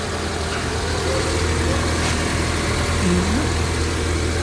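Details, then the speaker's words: 2000 Honda Civic VTi, engine at operating temperature, owner's complaint of high idle that drops with aircon on, while the IACV/throttle body is checked: a steady fast idle with no dips or hunting, noticeably above a normal warm idle. "Silipin natin kung anong itsura nito. Is aar body. Taas ng menor. Sobra."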